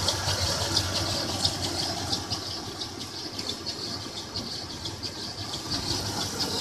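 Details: 1996 Toyota 4Runner at idle, noise began a week ago: sharp high squeal and light rattle pulsing once or twice a second; owner suspects timing chain or water pump area, cause unclear.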